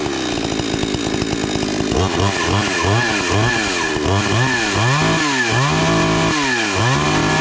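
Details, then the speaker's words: 52cc chainsaw with old parts refitted, replaced stripped bar studs and fixed recoil screw. Started on choke with chain brake on, a choppy buzz, then clean repeated rev blips: normal running. "I'll start up the saw. Show you how to turn it on."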